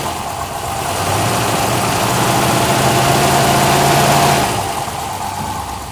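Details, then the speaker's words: 1972 Rover P6 V8, cold winter start with fuel stabilizer, choke out as it won't idle otherwise, slightly rich: smooth even V8 burble on fast idle that settles lower; good oil pressure, slight back-box exhaust leak; normal cold idle. "right now I need to have it out like this because it won't really idle otherwise but it's a little bit too rich but once this run for a little bit we can turn in the idle and that should be good"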